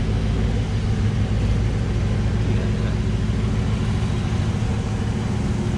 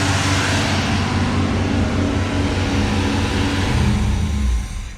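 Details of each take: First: 1984 Camaro Z28 L69 HO V8, just after fitting a new exhaust with straight muffler, angle-cut tailpipes and ball flange: steady deep burble with a slight rise in revs, no ticks or exhaust-leak puffs; normal running. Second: 1984 Camaro Z28, L69 HO 305 V8, 700R4: holds a fast idle well above normal, not settling; idle screw already backed out, throttle hung up on choke linkage, flicking it reset it.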